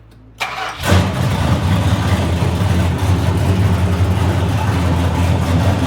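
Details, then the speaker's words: 1970 Dodge Challenger V8 with an overhauled power steering box, no mufflers, front pipes only, started for a few seconds at a time; it cranks, catches and idles loud and lumpy while the thirsty box draws the power steering pump dry, possibly needing about a quart or two of fluid. "Okay, it went dry. And if you guys are asking, it went dry. You see, it might take about a liter, a quart or two."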